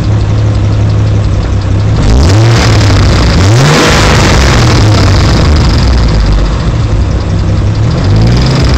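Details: Car engine at idle: an uneven, lumpy idle with a low throbbing drone and blips, plus ticking seemingly from down low, loudest under the car near the driver's door; rough idle developed over two weeks and eases after 20 minutes of driving; cause unconfirmed.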